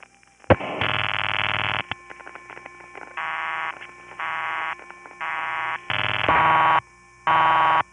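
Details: A night call in 1975-77 from the Riverside 9/850 No. 1 crossbar office in Manhattan, through Suburban Tandem: bursts of steady two-tone signalling in even, cleanly switched blocks, as the tandem pulses normally to the Gedney 6 panel office.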